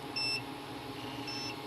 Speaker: is it the meter that's the meter trying to make up to mine okay so that new part that I just put in is shorted